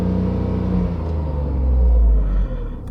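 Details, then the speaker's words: Tata Tigor BS6 three-cylinder petrol, measured inside the cabin: 60 dB max at idle, a smooth, even drone swelling to 74 dB at 2,000–3,000 rpm and settling back; normal revving. "so up to 3000 rpm the maximum sound level is 74 db it is a good one actually not bad"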